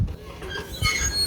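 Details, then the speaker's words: 2020 Entegra Esteem Class C RV automatic entry step: a high, rising squeal as it extends and retracts, a little squeaky going in and coming out, over a few low thumps; no grease has cured it yet. "so that's your automatic step listen to that thing squeal not too big not too bad going in a little squeaky coming out"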